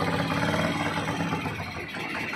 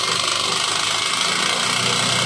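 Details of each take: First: Euro 150 motorcycle idling after clutch lining and timing gear replacement fixed a very noisy engine: steady, smooth idle with soft even beat, no ticking or clatter; sound now fine and quiet. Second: Neglected Euro 150 motorcycle engine, very noisy, with a raised idle: loud rapid metallic tapping.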